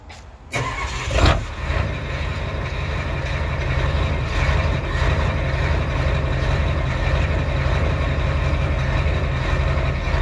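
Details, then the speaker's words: 7.3L IDI diesel after valve cover gasket and return line repair, lines bled, microphone by the exhaust tip: quick start settling into a steady even idle with smooth low clatter, no misses. "so we'll set up the camera so you can hear it start got you by the exhaust tip"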